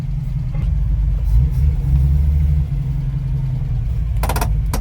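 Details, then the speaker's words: Ford Capri 3.0 V6 race car replica, first drive after 20 years stored, recorded from the back seat: deep steady meaty drone with no knocks, misses or whine; normal engine running while driving. "It sounds good. It sounds really meaty."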